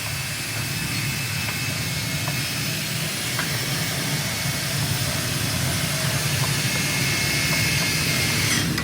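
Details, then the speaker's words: Click 125 with a 59 big-valve head running before a refresh, done because it is losing coolant; steady, hissy note with no knocks, ticks or rattles; no noise, runs okay. "yung ingay sir, wala naman. Wala namang ingay. Ayos, kung gayon. Yung takbo, okay pa naman."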